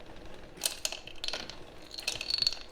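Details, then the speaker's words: Race motorbike's rear carbon wheel being moved: light tinny clicks and rattles in short bursts, like a children's toy, from half of a broken sealed nut or screw trapped inside a spoke, left by a poor tyre fitting; wheel being swapped out. "it sounds like a children's toy. So half screw or nut has gone inside one of the spokes."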